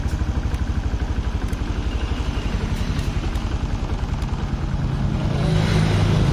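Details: Yamaha Jupiter MX after new boring and cylinder head install, radiator topped up: even, smooth idle with no knocks, revs rising slightly at the end. Engine sounds very smooth and radiator coolant is normal. Normal idle.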